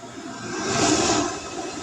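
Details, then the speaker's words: Erayak 2024 DSU 3000 W 12 V to 120 V inverter, powered up with no load drawing about 17 W: smooth airy fan rush that swells then settles, no rattle or whine, cooling fans running normally. "That's the inverter is powered up and it's running its fans."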